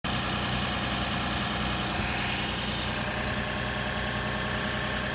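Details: 2006 Lexus IS250 all-wheel drive, idling after a no-start, no-crank, no-power-to-ECU fault was fixed: constant even idle hum over hissy background, no stumbling or knocks; normal idle.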